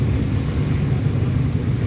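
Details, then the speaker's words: Maruti Suzuki Alto 800 after dashboard refit fixing blocked vents (rat intrusion, improper reassembly): blower on windscreen setting, steady low rushing hum, even airflow, no rattles or flap clicks; AC also cooling after: normal blower airflow. "ये अब शीशा में हवा आ रहा है, देख सकते हैं शीशा में भी हवा आ रहा है।"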